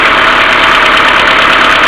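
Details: Mercedes A-Class W168 1.6 petrol, cold engine idling without throttle: fast light ticking of hydraulic valve lifters over a continuous hum from the hydraulic timing chain tensioner (to be cleaned or replaced); fixed by replacing hydraulic valve lifters.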